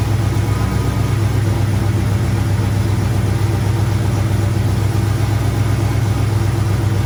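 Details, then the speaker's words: Camaro rebuilt 6.0 V8, injector data and timing set in HP Tuners: deep, choppy idle with steady lope about four pulses a second, even and unbroken; idles like fully tuned, healthy. "But this thing, it friggin' idles like it's fully tuned."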